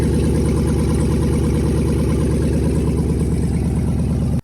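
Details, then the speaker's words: 2014 Chrysler 300 5.7 Hemi swapped engine at cold-start idle: lumpy, loud V8 idle with a fast, tinny rattle on the exhaust pulses. The catalytic converters were cut off, so the open exhaust pipe rattles; it is not engine knock. "So when I pulled the motor, the original people, they cut the catalytic converters. So like the pipe right there is just rattling because it's open here right now."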